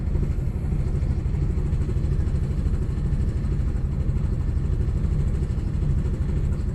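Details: Audi B5 S4 cold start misfire: fast idle just after cold start with lumpy, uneven beat and occasional stumbles in the low rumble.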